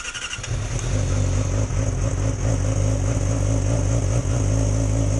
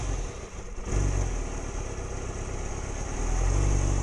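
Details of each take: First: 2006+ Yamaha R6 that died at idle when below about 160–170°F. First start after the clearances were reset back into spec (they had gone out after about 5,000–6,000 miles): catches after a brief crank into a steady, even idle; timing correct. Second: 2006+ Yamaha R6 cold idle below about 160–170°F, catalytic converter removed: uneven idle that sags and is blipped to stay running, then stalls; owner suspects valve adjustment or lack of back pressure.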